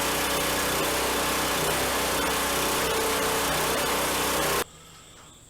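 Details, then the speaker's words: Brand-new replacement small gas engine on a Harbor Freight log splitter, fitted after the old one seized from Hurricane Ida flooding, with fresh oil and hydraulic fluid: steady even drone with no misses or knocks, then clean shutoff; normal running. "i can't really complain about that engine started right up which we expected it's brand new"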